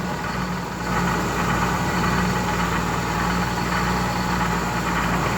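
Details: 1988 Ford Econoline that intermittently would not start, traced to a relay making false contact with ground; after fix, steady even idle with low smooth hum, no misses or knocks; normal idle.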